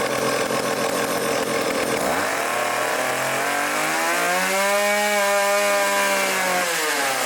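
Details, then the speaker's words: Old vintage foreign chainsaw during carb tuning (idle screw turned in): revs rise smoothly from a low idle to a clean howl and fall back without bogging. Normal running. "all right that sounds good as we die of carbon monoxide poisoning so I leaned out the low speed a little bit"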